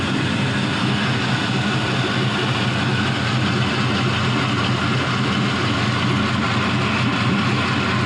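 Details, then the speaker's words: GM 5.3L LM7 Gen 3 V8, 180,000 miles, new lifters, oil pump, head gaskets and O2 sensors, drive-by-cable, on test stand, near-cold start at 104°F: steady even low rumble, no knocks, misses or ticks; healthy idle, about 42 psi oil pressure. "This is going to be as close to a cold start as I can get you because it's August in Tennessee. It's 104. Starts up like a dream."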